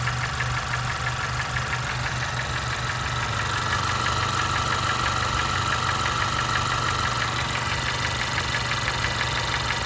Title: 2016 Honda CR-V Engine Knock